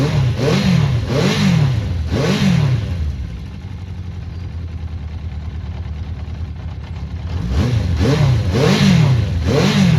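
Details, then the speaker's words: Honda CB400 Four after tappets fully reset: three clean throttle blips around a quiet, even idle with no clicking, smooth running; valve noise cured. "Yeah, smooth as anything. Bloody hell, I'm happy with that. Yeah, that's well smooth now. ticking over nicely there."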